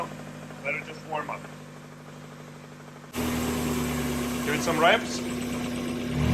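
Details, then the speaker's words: Replacement engine, supposedly from a 1995 with 90k miles, just installed; catches and idles with an uneven tapping knock under the running note, heard just after starting; owners suspect rod knock, unconfirmed, meaning deeper engine work. "This sounds a lot like rod knock, which means that we would have to dive deeper into the engine than we anticipated."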